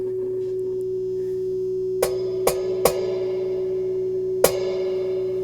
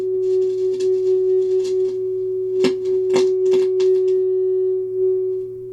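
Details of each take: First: so no problems there the reverb section is definitely working Second: Hybrid tube and solid-state audio unit with working reverb section: steady test tone with crackle and scratching as knobs turn, from dirty, scratchy control potentiometers; the fix is contact cleaner sprayed in while working the controls.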